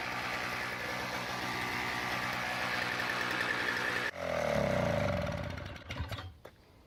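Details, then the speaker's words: Toro CCR2000 single-stage snowblower, 2-stroke 4.5hp Suzuki engine with Mikuni carb, after carb cleaning, primed, choke open: pull-start catches straight away, fast steady buzz, then shut off and winds down; running fine. "and a working snowblower."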